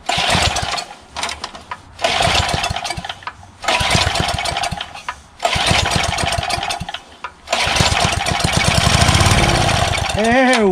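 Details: Craftsman 3HP Tecumseh lawn edger with a badly corroded old carburetor: at half throttle with starting fluid sprayed into the intake, it bursts into life for a second or two per spray, then sputters out, so the carburetor isn't delivering fuel. It was later replaced.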